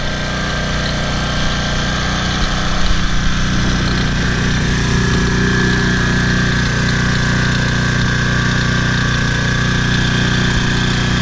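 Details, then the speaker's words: Toro Personal Pace 20333 push mower after replacing an owner-damaged carburetor with an aftermarket one, correct governor shoulder bolt fitted, first start: steady single-cylinder chug at even speed with a little mechanical clatter on top; runs well, slightly noisy. "Let's give it a start here. Here we go. There we go. That sounds better right away."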